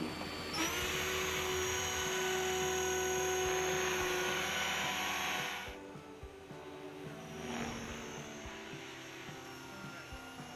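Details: Align T-Rex 550 electric helicopter on a 5-cell 5000 mAh battery, test flight after pressing in a replacement one-way autorotation bearing that had slipped. It spools up to a steady high whine and flies smoothly over music, drivetrain healthy.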